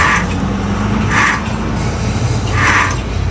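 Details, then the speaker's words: Wheel spun by hand: a rough metallic grind swells about every 1.5 s over a low rumble. The cause is a failing wheel bearing. "Hopefully you guys can hear that. It's like a grinding and metallic kind of noise in there. You know."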